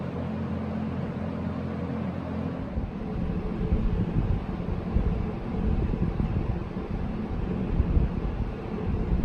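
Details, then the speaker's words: Early-1970s Electrohome 652-1 20-inch two-speed box fan, on low: steady low hum and soft air rush, no rattles or scraping; draws 1.24 A, healthy reading despite motor condition. "so on low-speed we are down to one point two four amps so those are really healthy readings which is kind of surprising for the condition of motors"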